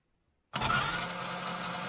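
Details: RC4WD Zetros 6x6 RC truck with the gear properly engaged on the transfer box: the motor spins up abruptly and settles into a smooth, steady whine with no clicking or grinding; normal gear engagement.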